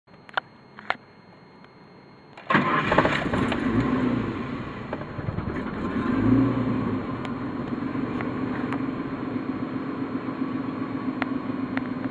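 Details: Ford EL Fairmont Ghia dual-fuel, rough on both gas and petrol and stalls often: cranks, catches, flares, then lumpy uneven idle with stumbles; owner guesses faulty computer or distributor; unconfirmed.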